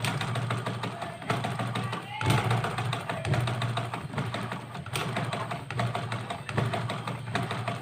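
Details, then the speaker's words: Sewing machine after loosening the nut, cleaning and oiling to reduce noise: steady low hum with fast, even needle patter, no knocking or rattle; runs smooth and quiet, normal running. "তো বন্ধুরা দেখুন এখন মেশিনের sound একদম নাই, পানির মতন চলতেছে, কোনো সাউন্ড নাই।"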